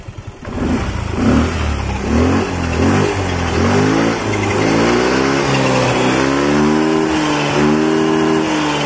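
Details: Yamaha Mio Fi 125 scooter after repair of a sudden refusal to take throttle: catches, then revs rise smoothly and hold a steady high speed with no stumble or hesitation; responds normally.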